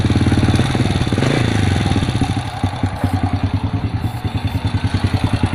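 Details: Supra motorbike after fixing a no-start problem and adjusting it; the single-cylinder settles into a steady, even idle with a light regular patter, no knock or misfire; sounds healthy.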